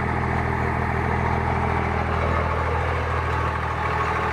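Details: Cummins diesel at steady idle with a light, fairly even click, about three to four per second, over the rumble; clicking source unclear.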